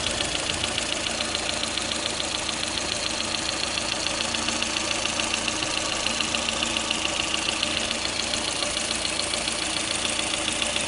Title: стучит двигатель калина